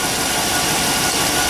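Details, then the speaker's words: Truck at the farm idling right after a cleaning: starts much better, alternator now seems to be charging; steady even idle with constant hiss, no knocks, misses or squeals. "okay that started a lot better that started a lot better sounds like the alternator is charging now in here pulling okay"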